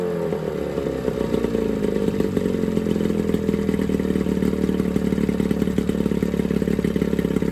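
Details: Johnson 9.9 outboard (kicker motor) after a carb kit rebuild and new plugs gapped to spec: steady, even, fast idle patter with slight pitch drift as the mixture is set, pretty quiet; smooth, healthy normal idle.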